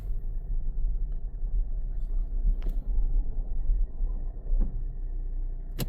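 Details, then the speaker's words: 2019 Kia Forte towed in for running rough; it runs fine in neutral but is very rough in reverse. Deep, uneven grinding rumble; the torque converter or a bearing coming apart inside the transmission is suspected, and the transmission is judged done. "It sounds like the torque converter's coming apart. It's super rough. You hear that? Oh yeah. Oh, there's a bearing coming apart in this transmission."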